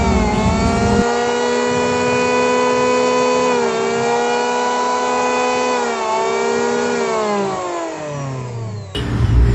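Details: Ryu RPL82A electric planer fitted with a Modern M-2900 armature, tested after the repair: clean, steady high motor whine, then smooth wind-down at shutoff with no rubbing or rattle; normal motor run.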